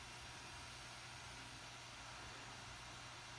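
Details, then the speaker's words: MacBook Pro 13-inch A1708 running very slow: a constant loud airy fan rush that never eases. "the problem was it is very slow and as you can hear the fan was too loud guys"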